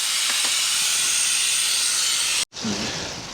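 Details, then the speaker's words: BMW 335d E92 brake circuit bleed by suction after ABS unit replacement, device connected to an opened bleed screw: steady loud airy hiss with a brief cut midway; vacuum bleeder drawing fluid normally. "il suffit de brancher l'appareil dévissé à vis de purge voilà peu mal à débuter un peu pendant comme ça hop mais comme ça et puis on lance respiration"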